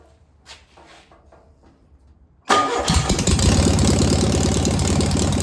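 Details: Single-port engine, distributor suspected a tooth off, valves confirmed oiling: silence, then it catches on the first try and settles into a steady, even idle with no knocks or misses; a healthy start and idle.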